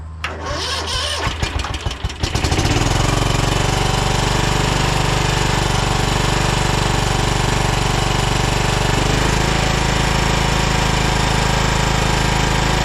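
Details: 2012 Toro Timecutter SS 5000 (model 74630) Kawasaki twin, first start on a jumper with choke worked by hand: a few seconds of cranking, then a lumpy, uneven beat; only one cylinder firing, later traced to rockers and valve adjustment.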